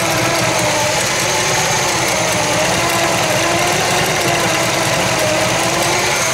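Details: 1966 Chevy Biscayne 396 big-block V8 warming from cold after lower radiator hose replacement and coolant refill, waiting for the thermostat to open: steady, even idle with smooth low drone, no knocks or misses; normal cold idle.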